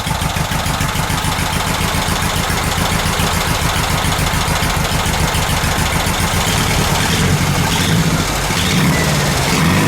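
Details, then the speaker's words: VW Super Beetle Volksrod air-cooled flat-four after carburetor mixture adjustments, valves not yet adjusted: steady, even idle chug about three and a half beats a second, no misses; running much more evenly though not 100%. "that's much better i just made a couple of uh mixture adjustments on the carburetor now it's running much more evenly now still not 100 so"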